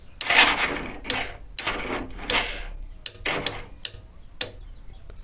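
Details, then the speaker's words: Motorcycle with key on and neutral showing, battery fully drained and low-battery warning displayed: only sharp irregular clicks, about one or two a second, engine never turns over; flat battery chattering the starter relay, before charging. "तो guys यहाँ पे neutral दिखा रहा है, देख लीजिए, अब लोग गाइस स्टार्ट करते हैं, स्टार्टिंग नहीं होता,"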